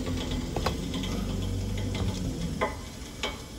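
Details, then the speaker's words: Electric water heater lower heating element drawing about 13 amps: soft, uneven crackling sizzle over a low hum with faint ticks; element heating water normally, element good. "you can hear it starting to sizzle that water okay so it's pulling about 13 amps so this heating element is pulling current and 13 amps is right about where it should be so this heating element is good"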